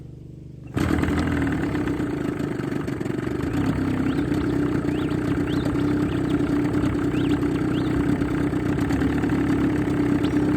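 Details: Johnson 20 two-stroke outboard in a test bucket after new water pump, head gasket and water cover gasket: fires after a short silence and settles into a steady, even buzz with no stumbles; runs normally.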